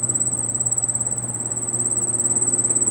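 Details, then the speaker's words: Carrier split-type AC indoor unit making a fast cricket-like chirping over the fan hum; technician suspects worn blower motor bushings. "তো এটার ইনডোরের মধ্যে একটা শব্দ হইতেছে, চিরচির চিরচির করে একটা শব্দ হইতেছে।"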